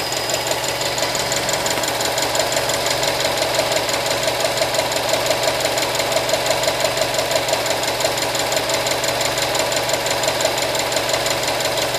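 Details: 2013 Subaru STI, nearly new with 1,500 miles, petrol engine idling with a steady sharp ticking of about three ticks a second; owner unsure whether normal.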